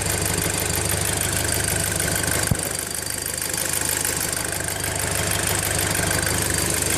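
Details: VW Golf GTI Mk5 with PCV valve and cam follower just replaced: steady idle with a fast, fairly regular ticking chatter about three per second over the hum; source undiagnosed, abnormal idle noise.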